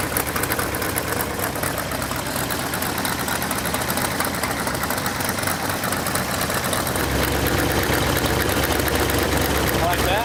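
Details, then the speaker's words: Rebuilt Ford V8 from a 1972 Pantera barn find, fully warmed up and running: steady V8 exhaust note with sharp ticking chuff from headers leaking at the cheap header gaskets supplied in the engine kit. "all right well we got the engine running got it warmed up real good and if you could hear it you could hear the headers leaking and I purposely used the cheap header gaskets came in the engine kit"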